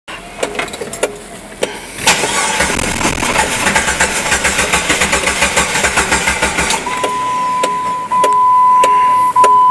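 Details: Jeep Grand Cherokee Laredo (WJ) won't start after new battery installed: starter cranks evenly about three to four beats per second for five seconds, engine never fires, then a chime sounds.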